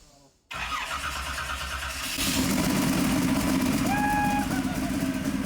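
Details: Starter spins briefly, then the 711ci twin-turbo Hemi in a 19-foot Placecraft jet boat, on its first start after years of construction, catches and builds to a loud, steady, slightly rough run; it fires up and keeps running.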